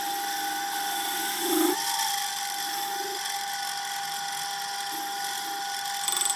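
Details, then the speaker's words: Turning a 6-inch aluminium pulley for a Gingery milling machine spindle drive, mounted on a lathe faceplate: steady high whine with a constant ringing tone and slight uneven chatter through the cut; vibration in the setup. "As you can hear, there's some vibration going on through this setup also."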